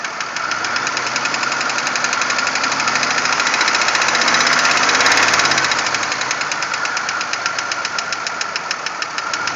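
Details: 1997 Pontiac Grand Prix GTP engine running with a fast, fairly regular knock, roughly four per second, over the hum; source not pinned down.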